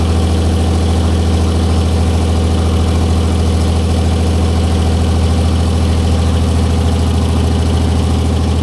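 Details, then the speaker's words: 1944 Cleveland 3-268A three-cylinder two-stroke diesel, revived, first run after fuel-delivery fix, no coolant: deep even chugging about 136 beats a minute, no misses or stumbles; all cylinders firing, healthy steady idle. "wo man I'm excited it's like it it was running on one and then two and three all picked up at one time"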